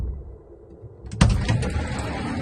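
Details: GAZ Sobol 4x4 diesel van's sliding side door shuts with a hard metallic bang and brief rattle from misaligned door mounts; fixed by readjusting, tightening upper then lower mounts.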